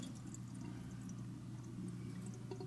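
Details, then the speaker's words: Whirlpool WDF310PAAS4 dishwasher after electronic control panel replacement, starting a 1-hour wash: clicking, filling, then quiet steady hum with water trickle as it drains leftover water normally. "I hear clicking. I hear it filling. It looks like it's draining, actually. It's draining what was in there."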